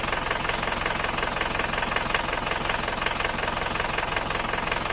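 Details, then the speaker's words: Isuzu Panther diesel from Kras, Kediri, at cold start with thin smoke; owner finds it rougher than before; a steady, hollow tek-tek knock just under three per second, from pistons striking the cylinder walls; piston slap. "kalau didengarkan Emang ada suara semacam ngleklekkk se nya sedikit Tetapi kalau menurut pemiliknya ini risih katanya mau dihilangkan suara nkkkk"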